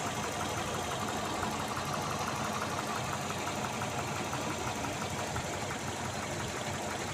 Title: Стук мотора до и после присадки AWS NT-10